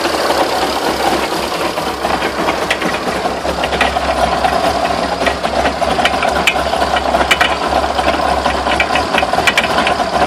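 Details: Irregular sharp knocks and rattles over a busy mid-pitched clatter. Owner asks what the knocks are and whether the drive shafts could be bent. Cause suspected, not confirmed.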